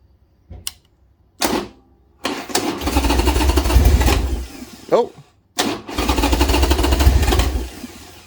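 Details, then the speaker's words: Old Harley Sportster just reassembled after intake gasket work, ticking: V-twin coughs on several start attempts, catches, stumbles and barely keeps running, only runs with the choke pulled. "I gotta pull the choke it's the only way this thing will run right now which is weird"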